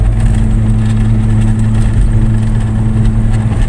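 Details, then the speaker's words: Car coasting at speed with a damaged wheel bearing: steady low hum and drone; such bearings usually sound this way from lack of grease or pitted rollers or races. "se escucha usualmente suenan así porque que les falta grasa o los rodillos o pistas ya están picados"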